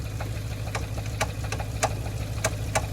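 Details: Car idling with uneven, sharp knocks at about three a second over a low rumble. Power seems to be gradually decreasing; the owner was told the camshaft needed replacing and plans to replace it.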